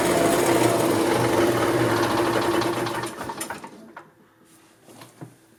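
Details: 1990 EZGO Marathon golf cart two-stroke with oil injection, jacked up since it has no neutral, after carburetor cleaning, new filters and fuel line: quick even buzzing putter for about three seconds, then switched off; runs good and strong.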